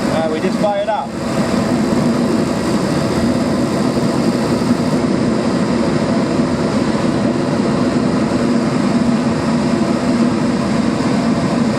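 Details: Gas furnace firing on a heat call with the thermostat jumped out and the draft motor running, after a popped rollout switch (suspected wind gusts); brief ignition flutter, then a steady, even burner roar with no popping or surging; normal firing.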